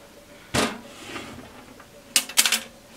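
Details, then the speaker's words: Keithley 228A 4-quadrant voltage/current source with 1988 day codes, sealed case tipped by hand: short bursts of light metallic clatter, something loose floating around inside, a stray chassis screw; unit had been powered up with it loose, possibly a big problem. "there's definitely something floating around inside, which may be a sign of a big problem."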